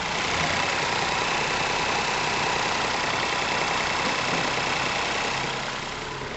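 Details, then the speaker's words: Ford Ka 1.0 12V three-cylinder after engine repair for knocking, vibration, misfire and lack of power; even smooth idle with soft steady churn, no knock, mic close to engine; normal idle. "o show de bola né agora tá novo de novo praticamente"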